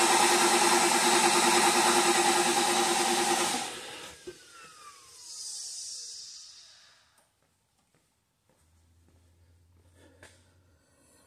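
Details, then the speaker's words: 2007 Mercedes S550 V8 chasing a misfire, cranking with coils and injector 1 unplugged for relative compression testing: steady even cranking beat, no dead cylinder; cylinder 8 matches the others. "by the looks of it and even the cranking sound of it uh it doesn't appear that we have a dead hole at the moment"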